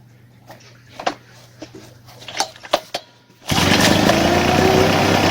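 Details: Two-stroke fertilizer spreader/blower that would not start, after its carburetor diaphragm was replaced: a few handling clicks, then it fires and runs cleanly, revving up and down smoothly without stumbling.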